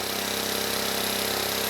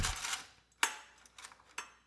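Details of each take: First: Vintage 1970 Honda E400 generator, not run in over a decade, after carburetor rework, running briefly without its cooling shroud: steady even drone with a fine regular pulse, no misses or knocks, putting out 130 volts; engine sounds healthy. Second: 1970 Honda E400 generator, not run in over a decade, new small air filter fitted, carburetor not yet cleaned: a few failed pulls, then rough uneven low-speed run that never reaches governed speed, pilot light off; dirty carburetor suspected.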